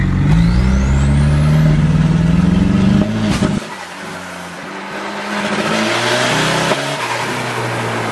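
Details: Volvo on a road test under boost around a turn: engine note climbs steadily under load, then abruptly drops out and stumbles about three seconds in; still breaking up despite a reconnected line thought to be the fix.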